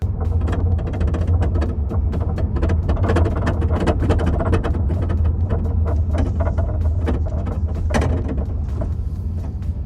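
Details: Wrecked 2016 Audi RS7 driving after a temporary zip-tie fix: constant road drone with irregular clicks and rattles underneath. Suspected cause is a forklift-bent brace and parts rubbing.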